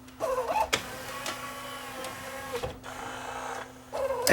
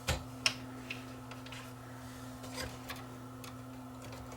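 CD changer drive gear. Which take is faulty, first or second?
second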